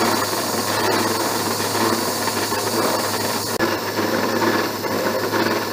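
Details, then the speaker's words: Mill cutting a keyway slot in a broach bushing at the slowest table feed: harsh, rough grating with uneven chattering rasp; cutter chatter, suspected dull cutter. "well slower way down but i'm still getting some chatter i said this cutter may not be as sharp as i thought it was"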